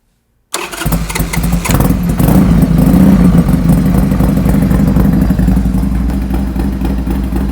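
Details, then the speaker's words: Harley-Davidson Sportster cafe racer after new exhaust, intake and rejetted carbs: fires straight up and settles into a deep, loping, even V-twin idle with a couple of clean revs; runs properly. "But let's fire up this bike, let's hear the new exhaust to make sure everything's working and running properly."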